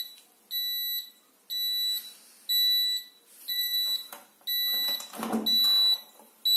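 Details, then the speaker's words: Zanussi Aquacycle 1000 FE1014N washing machine in rinse mode, bearing also humming; high beeps about once a second, half a second each, error signal and the rinse cycle stops. "И потом опять сюда переходит, опять пищит, и все, и дальше ничего не происходит."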